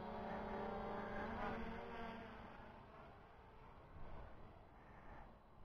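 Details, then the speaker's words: MJX Bugs 2C GPS quadcopter with brushless motors, in flight after compass calibration: smooth, even, quiet motor whir with steady tones fading as it drifts away, no rattles or roughness; normal, healthy flight. "what the new bird head so far it's really nice man it's it's quiet it's very quite smooth I can't believe how smooth this thing is"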